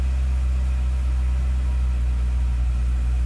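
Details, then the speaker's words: Chevrolet Corvette C6 Z06 after starter work, not a hot start, just started: deep, steady V8 burble at idle, smooth and even with no knocks or misses; normal idle. "But I just want to show you how fast the car should start when you hit this button. So ready? 3, 2, 1. Now I guess that's what you would call normal."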